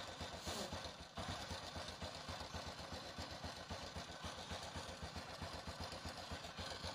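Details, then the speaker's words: Honda Revo Absolute motorcycle engine idling coarse and rattly with a fast uneven pulse of about four beats a second; the cam chain is suspected worn or old, and the fix is replacing and adjusting it with a Honda part: worn cam chain. "telah kita dengar tadi suara mesin tidak normal suaranya kasar kemungkinan kita akan buka dulu rantai klubnya sudah aus atau pun sudah tua"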